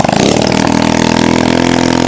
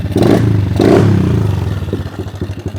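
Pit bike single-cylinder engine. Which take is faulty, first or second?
first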